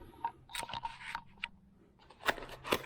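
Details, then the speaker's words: 1996 Jeep Cherokee Sport door check snaps loudly and irregularly as it passes its notches. It was already disassembled and cleaned, the cause is unknown to the owner, and reproduction replacements were bought. "you see this as it pops across these little notches it's snapping really bad and i don't know why it's doing that"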